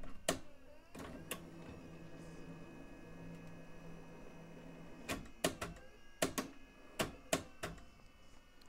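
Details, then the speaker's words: A low motor hum winds for a few seconds, then sharp mechanical clunks as an S-type cassette threads into a portable JVC 3/4-inch U-Matic recorder, winding past the clear leader; normal loading. "so very much like a VHS machine when you insert a tape it's going to wind the tape forward just enough to get it past that clear leader that we saw earlier"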